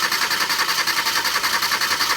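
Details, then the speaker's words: 2015 Hyundai Accent with no fault codes: fast, even starter churning goes on and on without the engine catching. The hard start is being diagnosed with a scope on the cam, injector and ignition signals. "Crank it. So you can see now I'm having difficult starting."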